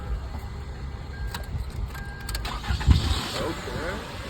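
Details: Toyota with a newly installed starter that wouldn't start, run off a jump pack after a loose ignition wire on the starter was reconnected: starter spins, engine catches and settles into a steady idle; normal start.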